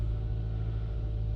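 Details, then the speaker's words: 2014 Nissan Altima 2.5 SL, QR25DE 4-cylinder, 125,500 miles, just after spark plug replacement: starts and settles at once into a steady, deep, even idle with no misses; much cleaner start than before, previously hesitant, no codes. "Wow, this was a way cleaner start than it's been doing."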